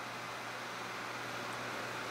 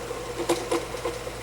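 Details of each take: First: Vintage 12-inch Windmere oscillating fan after disassembly and oiling: quiet steady low hum and even air hiss with no rattle or scrape; it was noisy before. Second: Vintage 12" Windmere oscillating fan running: steady low motor hum with soft irregular rattles and clicks; the head doesn't stay straight and blades may need tightening; dry motor bearings needing oil.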